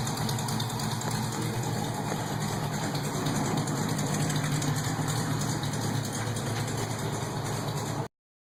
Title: Exhaust leak